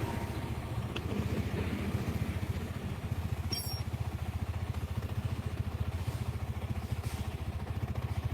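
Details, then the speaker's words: Small single-cylinder motorcycle at idle after adjustment; quiet even putter, no timing chain rattle, earlier frightening noise gone; healthy, pending test ride. "nah ini sudah suaranya nggak mengerikan yang tadi ya"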